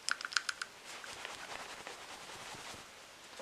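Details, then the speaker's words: 2004 Subaru STI EJ engine, 118k miles, old PCV valve shaken by hand: a few dull clicks then faint rustling, gummed up and not rattling freely like a good valve; whole assembly replaced. "so here's what a bad PCB sounds like"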